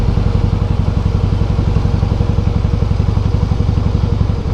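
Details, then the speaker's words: 2008 Harley-Davidson Softail Heritage with Screamin' Eagle exhausts: at very low rpm a loud rhythmic clatter about four knocks a second on the engine beat, felt as resistance; noisy primary drive. "então assim quando fica nessa na rotação bem baixinha aí você sente e escuta o barulho do Bora meu senhor"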